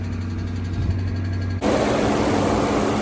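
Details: Wrecked 2013 Dodge Charger police car, first start after auction with electrical/battery issues: engine runs unevenly, the drone shifting abruptly partway through; rough running, cause not yet pinned down.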